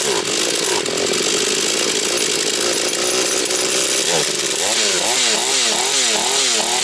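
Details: Husqvarna 240 chainsaw, reassembled, first start of rebuild, still tight: crisp steady two-stroke buzz, then clean rising and falling revs without bogging or stalling; owner plans further carb adjustment. Normal running.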